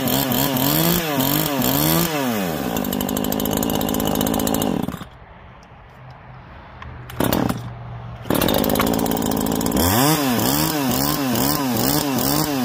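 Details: New Neo-Tec NH843 chainsaw (Husqvarna 543 XP clone) on its first start after the idle screw was turned in a little; it fires and revs up and down cleanly, settles to a steady idle, then revs again, with no misfire — normal running.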